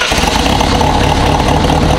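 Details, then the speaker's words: Project car's first start after an over-enriched engine cleared; steady, even idle with deep consistent exhaust pulse, no misses or knocks despite many exhaust leaks; smooth, healthy idle. "why does it sound so smooth I'm not questioning it it's good"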